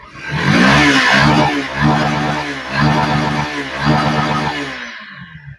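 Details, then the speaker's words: Yamaha FZ V3 BS6 motorcycle, fuel pump pressure and injector checked OK: won't hold idle, sudden throttle kills it while slow throttle revs; revs rise and sag unevenly then cut out, traced to a weak ignition coil. "Side விட்டா of ஆயிடும் of ஆயிடுச்சு மறுபடியும் பாருங்க start பண்றேன் ஹைலை சுத்தமா நிக்கல race பண்ணா of ஆயிடும் மெதுவா ரேஸ் பண்ணா ரேஸ் ஆகும் இதுதான் கம்ப்ளைன்ட்"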